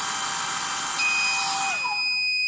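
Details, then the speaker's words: Smart DC cooling fan module on an Ender 3 3D printer mainboard: fan hiss winds down as a steady high-pitched beep sounds with a blue LED, over-temperature alarm that clears when temperature returns to normal. "you get the blue indication and the bleep and that goes away when temperature gets back to normal but that would alert you that something's horribly wrong you should turn it off"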